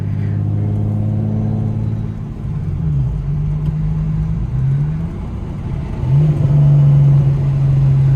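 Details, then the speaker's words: BMW 335 with new Precision Pulsar 6466 ball-bearing turbo, replacing a blown third Precision turbo, while driving: rising then falling tone as boost builds and winds down between shifts, spool now audible on downshifts; normal turbo spool. "now I can hear like the spool when I downshift it's just like a I don't know this [ __ ] is crazy as [ __ ]"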